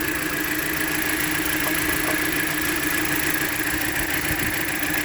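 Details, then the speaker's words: 2016 Jeep Patriot with codes P0302, P0171, P2096 and P000A: idle with an uneven, stumbling beat and occasional missed pulses, a misfire blamed on a torn-up ignition coil; no popping heard. "I'm not going to do anything fancy with the scan tool because it just seemed like a misfire from the ignition coil. I don't hear any popping."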